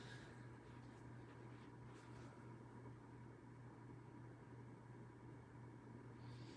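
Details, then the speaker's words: Hampton Bay Grayton 42-inch ceiling fan with 4-arm light kit on low/medium speed: quiet fan with steady low motor hum amplified through the light fixture, especially by incandescent bulbs; hum quieter on high. "Yeah, the humming is kind of amplified by the light bulbs, especially the incandescents."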